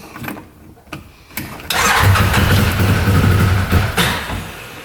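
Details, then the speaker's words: 2013 Arctic Cat Wildcat 1000cc UTV that won't idle, bogs, and smokes. Brief cranking, then it runs roughly for about two seconds before dying. It runs on one cylinder, with one exhaust pipe cold; owner suspects timing was disturbed. Dead cylinder. "we'll try listening to the engine see what's going on almost sounds like it's running on one cylinder"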